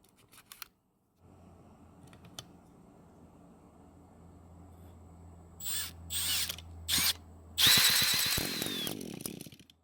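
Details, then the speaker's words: Trimmer that wouldn't start despite spark, compression and fuel: after replacing the ignition coil, drill-driven starting whirs then sharp high-pitched two-stroke bursts fire and catch; the coil was the fault. "you have no idea how long I've been waiting for it to make that sound. That confirms it then. The ignition coil was the problem this entire time despite our testing showing that it was working."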